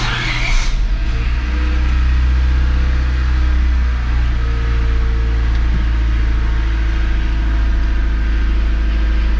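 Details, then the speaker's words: 1996-2000 Honda Civic LX D16Y7 after cleaning the idle air control valve and bleeding coolant, warming up with heat on: engine catches and settles into smooth, steady low idle without stumbling or stalling; fix successful. "as long as it can idle down by itself without stumbling and turning off I'm happy so far so [Music] good"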